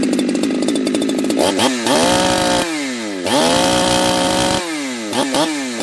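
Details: Ported chainsaw at full throttle, air filter off, on a cool, humid day, with the tach reading about 11,000 rpm. The revs dip and climb with a slightly burbly, blubbery edge. The high-speed mixture is rich; next step is leaning the high screw about half a turn.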